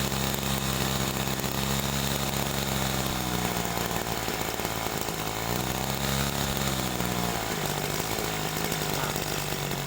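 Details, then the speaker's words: Small petrol sprayer engine carburetor, idle mixture too lean: buzzy note sounding dry, sagging and wavering as RPM drops like it is about to die. "pokoknya ini kedengarannya e seperti kering ya TU tuh I seperti dia mau mati"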